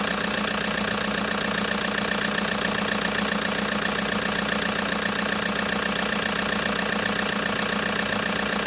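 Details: Toyota HiAce diesel at idle with a steady knock about 2.5 per second over the clatter, plus vibration and excessive white smoke; a mechanic recommended an engine overhaul, cause not confirmed.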